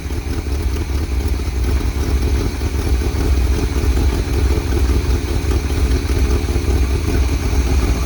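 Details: 1978 Chevy K20 4WD Camper Special, sat outside 13 years, Seafoam added: low, lumpy, uneven idle with occasional stumbles, running rough; blow-by smoke from crankcase, compression leaking past rings, owner suspects engine might be shot.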